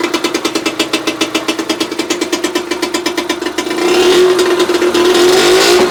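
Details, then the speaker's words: 1966 British Seagull two-stroke outboard, sat about 25 years, running after carburetor cleaning with points cleaned; carb bolt leaking fuel; even two-stroke popping at idle picking up smoothly with throttle; normal running. "well she runs and leaks"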